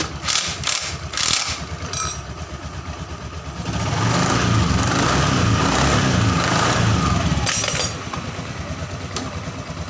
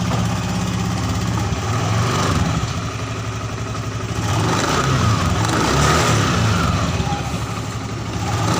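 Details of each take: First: Honda Scoopy FI scooter, CVT test after fitting a replacement drive belt of the wrong size: faint gritty rattle that grows as revs rise and eases as they drop; rough noise reduced but some remains, clutch next to be checked. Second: Honda Scoopy FI scooter after CVT repair: idling and revving smoothly, pitch rising and falling cleanly without judder or rattle; CVT previously rough and sluggish at low rpm, now responsive and normal.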